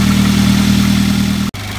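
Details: A Toyota Avanza/Daihatsu Xenia alternator at idle, before servicing, gives a steady mid-pitched hum or whine; diodes are the likely suspect, possibly worn brushes too: alternator diode whine.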